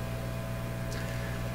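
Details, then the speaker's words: Canadian Admiral J104X/J105X console amplifier with both inputs open: constant low mains hum with faint buzz audible on one channel only, other channel silent; cause unclear. "so both channels have open inputs but only one of them you can hear the open input the other this channel nothing"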